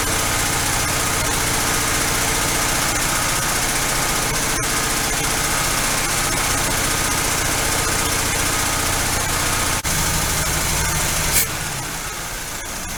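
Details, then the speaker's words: V8 on first start after a Quadrajet carburetor rebuild: holds a fast idle that never settles even with the idle screw backed off, with a faint lifter tap underneath; idle set far too high. "okay still idling way too high i've got the idle screw backed off and i hear a lifter tapping a little"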